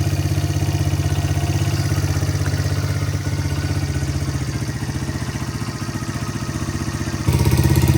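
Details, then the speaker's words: 1985 Honda XR100 after no-spark fix and carb patch, idling about 10 minutes: small single ticks over at a steady even idle, about four beats a second, no smoke, no air leaks or hanging revs; healthy, mixture screw 2.5 turns out. "Sounds like your normal XR motor. No smoke coming out of the back, that's good."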